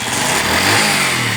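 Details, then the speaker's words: Honda CD 70 small single after replacing the magnet coil: steady buzzing with a brief rise and fall in revs, no misses or knocks; the bike starts and runs fine. "ये ठीक है, आपको नज़र आ रहा है, बिल्कुल start हो चुके हैं।"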